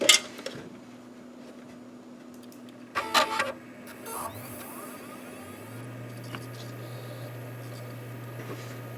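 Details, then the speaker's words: HP Pavilion p7-1235 desktop with its original 300 W power supply, long run around the clock as a server: a thin, steady squeal and hum with a few odd clicks from the power supply, not the hard drive. "you hear that like squealing and weird sounds that's not the hard drive that's the uh power supply"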